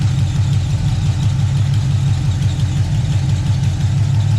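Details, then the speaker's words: Chevelle V8 cold start after a long time sitting, following a transmission leak fix: deep, steady idle rumble with an even beat and no ticks, knocks or misfires, though it may have low oil pressure. Normal idle. "might not have much roll pressure but it sounds good and yes guys this is still getting the big block"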